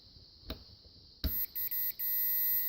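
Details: Mopar ignition switch test with a continuity tester. Short chirps, then a steady tone as the switch makes contact. Continuity through that circuit is good.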